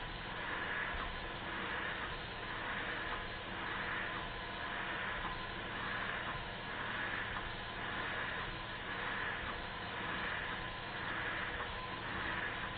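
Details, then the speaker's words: Restored Stuart beam engine with silicone O-ring piston and adjusted valve timing: soft regular chuff about once a second, no knocks or rattles; running fairly quietly. "i think you'll hear that it's running fairly quietly one more high speed run to make sure nothing drops off it and it doesn't"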